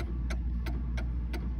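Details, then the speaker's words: Mantel clock deliberately thrown slightly out of beat: sharp ticks about every third of a second over low hum with slightly uneven spacing and weight, heavier beat on one side. "when a clock is out of beat it'll go to tick tick tick tick tick and i'm going to throw this clock out of beat and then i'm going to put it back in so you can hear the difference"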